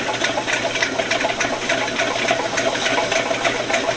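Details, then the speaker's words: VEVOR 75 ft x 1/2 in auto-feed drain cleaning machine retracting its cable: steady motor hum with sharp clicks about three a second as the cutter rattles in the drain near the opening while the drum fills; normal retraction. "also just keep listening guys because you can hear when that when that cutter starts getting closer you can start to hear it clicking around in the drain and I can hear it now"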